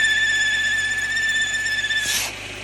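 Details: 2013 Mercedes-Benz GLK350 at idle with check engine light: steady high whistle; codes for idle speed too high, intake system leak and intake manifold switchover valve; an intake vacuum leak.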